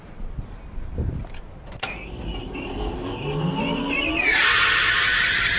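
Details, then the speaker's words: Rooftop commercial kitchen exhaust fan, not the AC unit: as the fan spins up, a shrill, piercing high-pitched screech rises and holds over the motor, from worn belts and ungreased bearings. "So when she's out on her little deck, she can hear this high-pitched sound. It's gotta be this ventilation system."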